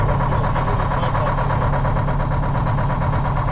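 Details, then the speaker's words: Cabover truck sitting since 1995 (27 years), exhaust refitted and air tanks drained of water: steady, even idle with smooth low rumble and no knocks or misses after start-up; sounds good. "I think fire's right up too. It sounds good."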